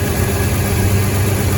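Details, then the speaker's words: 1999 Toyota 4Runner after replacing the alternator (the first remanufactured Denso unit was bad) and repairing a burned 3-pin connector: holds 14 V with lights and defroster on. Deep, even idle after five minutes with no whine; normal idle. "no more whining noises at all completely gone it's been running for about five minutes and"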